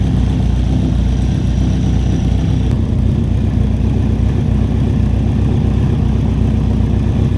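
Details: 2003 Kawasaki Z1000 four-cylinder after a valve clearance adjustment, started with a little choke: steady, even low idle with a smooth pulse and no ticking, knocking or misses, no leaks; running cleanly.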